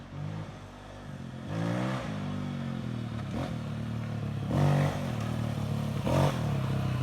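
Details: Honda XR250 after engine rebuild for gear-selection fault (snapped shaft), first start after reassembly: single-cylinder idles evenly, revs cleanly in sharp blips and settles back smoothly; normal running.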